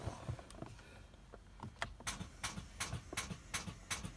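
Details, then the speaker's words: 2017 Chevrolet Malibu LT unused for three days: sharp repeated clicks about three per second on start attempt, no cranking; weak battery. "hey what's going on been having a problem with my uh 2 20 uh 17 malibu when i uh i haven't drove it for about three days and trying to start it up it's making a a sound a clicking sound"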